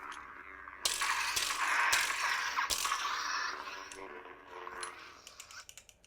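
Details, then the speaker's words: Lightsaber hilt: bright metallic rattling and clicks with each movement, from one large wing piece moving slightly; its screws tend to vibrate loose with use. "so the little rattling that you can hear um is those big wings right there there's this one is not moving but this one is moving just a tiny bit"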